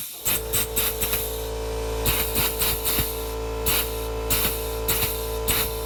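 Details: Pneumatic air grease gun at about 100 psi with hard grease and air pockets: steady compressor-like hum with rapid irregular air bursts and hissing pulses, no grease coming out; air-locked, needs priming.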